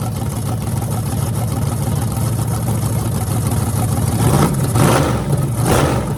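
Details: Freshly rebuilt small block Chevy 350 (355) for an OBS Chevy truck, on an engine run stand with open headers: deep lumpy idle with a couple of quick blips that rise and fall cleanly. Normal running.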